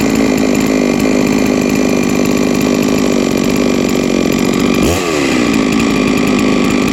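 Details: Huztl-based MS660 (066 platform) custom mill saw, 3 years old, ported 56mm cylinder, run after an in-field full clutch replacement while milling white oak: steady high two-stroke howl, even firing, no stumble or clutch rattle; running normally.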